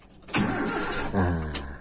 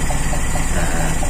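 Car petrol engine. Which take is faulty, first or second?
first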